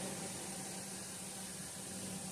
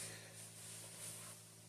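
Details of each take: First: Stock RV roof vent fan, old low-tech motor: steady loud rushing whoosh with constant low hum, about 76–78 dB measured right next to the fan; later replaced with a quiet PC fan. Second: RV roof vent after swapping the stock fan for a quiet PC fan: very quiet steady airy hiss with faint low hum, no rattle or ticking; about 55–56 dB versus 76–80 dB for the old fan, much quieter.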